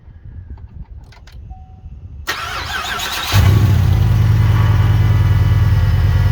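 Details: 2006-09 Chevrolet Impala SS, LS4 V8, after replacing the old Denso alternator and reconnecting the battery: starter whirs briefly, the engine catches within a second and settles into a steady, even idle with no knocks or misses; normal start.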